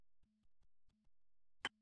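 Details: Scooter engine stripped to the bare connecting rod (valve cover, cylinder, piston and pin removed), rod rocked by hand with two fingers: dull taps then two sharp metallic clacks. Worn crankshaft big end, crank needs replacing.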